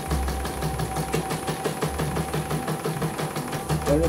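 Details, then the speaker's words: CNY embroidery machine (M21), sent in fully jammed with heavy rotation, test stitching with the small frame after servicing. Steady, quick needle ticking at about three per second with an even motor hum and no snags: runs normally, good result, no problems. "Oke, normal ya. Hasil oke. Tidak ada kendala sudah."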